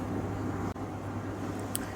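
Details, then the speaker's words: Beko heat pump tumble dryer, drum not spinning: motor gives a steady buzzy hum and won't turn, spins slowly only when shoved; open motor winding. "You can see it's making like a buzzy noise and not spinning, but if we give it a bit of a shove, it starts spinning."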